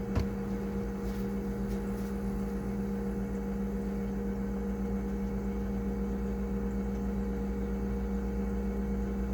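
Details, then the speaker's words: Frigidaire refrigerator possibly low on refrigerant charge, startup: steady low hum with coarse uneven rattle about one beat a second; compressor running rough, cause suspected, not confirmed. "condenser as you can see and that sound going pretty rough shape going here eventually you'll start hearing the noise"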